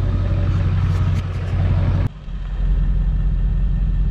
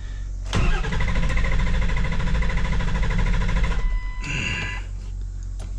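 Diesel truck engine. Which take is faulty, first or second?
second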